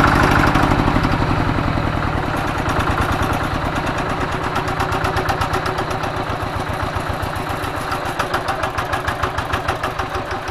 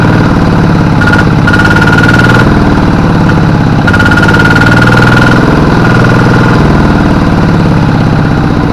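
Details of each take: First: Single-cylinder diesel tractor, previously hard starting, smoky and weak from worn plunger, after plunger replacement: crisp evenly spaced pulses about 220 per minute, starts on low throttle; normal idle. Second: Kubota RD85 DI-2T single-cylinder diesel on a G1000 tractor, hard to start in the morning, smoky and losing power under work, compression good, fuel delivery previously increased: uneven lumpy clatter about three beats a second; worn injection pump plunger, weak delivery.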